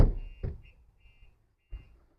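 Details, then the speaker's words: 2025 Ford Transit Custom MS-RT with Starline alarm: dull thumps on the rear body, then a few short high chirps as the shock sensor pre-warning works, with indicator flashes and a text sent to the owner. "will give us a warning there. It's also just given us some flashes on the indicators as a visual indication."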